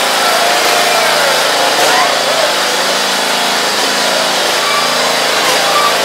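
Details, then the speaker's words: Briggs & Stratton engine on John Deere zero-turn mower, refitted after coil cleaning: steady, even single-cylinder drone with no sputter or surging while the hydros spin; running smoothly. "i got this sucker purring like a kitten those hydros are spinning and she is just running like a top runs absolutely beautiful"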